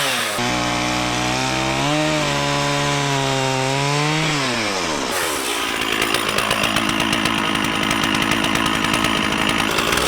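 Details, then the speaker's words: Stihl 044 Magnum chainsaw, 20-in Oregon bar, freshly sharpened chain, revived after sitting for years, cutting small wood (helmet GoPro POV): crisp high rev bogs slightly into the cut then pulls hard and steady; runs healthy. "I'm super psyched about this saw. This thing rips. I know I was cutting some really small wood with it."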